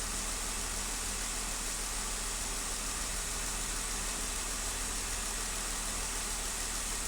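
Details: 2015 Jeep Wrangler at idle: rough, uneven running with an irregular stumble in the beat; cylinder 1 misfire, cause not yet pinned down.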